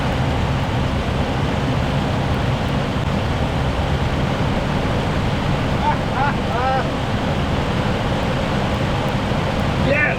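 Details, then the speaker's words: 1979 Jeep Cherokee Chief S Wide Track, long-stored non-running V8 believed to be a 360, first start after priming with fuel, on a booster. A rough, loud run with no knock or tick; fuel spitting, so it is shut down. "And she's not knocking. She's not ticking."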